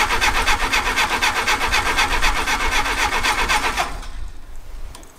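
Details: 1959 Case 300B (311B) tractor, 4-cylinder gas engine, parked outside 10 years, cranking in neutral on choke with a quarter-inch of throttle: steady cranking at about four turns a second, never catches; no distributor impulse.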